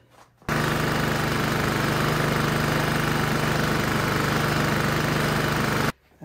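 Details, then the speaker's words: Westinghouse generator just fitted with a high-altitude carburetor jet, test-run before air filter and case are refitted: engine catches and holds a steady, fast running note about five seconds, no fuel leaks; normal running. "it's running so now we can put the plastic cover back on"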